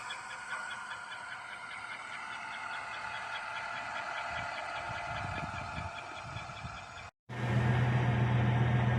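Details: GM 5.3 V8 at about 220,000 miles, quiet idle: faint quick regular chirp about four per second, present for 10,000 miles, unchanged with belt removed, isolated to top rear of engine near bellhousing; internal chirp, largely gone after adding Marvel Mystery Oil.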